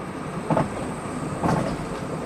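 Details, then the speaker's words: 2003 Kia Rio with 30,000 miles, rusted, on test drive: over steady road rumble a loose clunk about once a second from the right front wheel; cause unknown, front suspension described as blown. "Something sounds so loose in that right front wheel."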